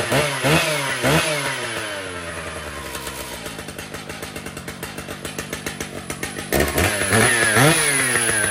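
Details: Brand-new Stihl MS 881 chainsaw with 36-inch bar and chain, freshly set up and tuned: clean blips, crisp even firing at idle and smooth climb to high revs; normal running.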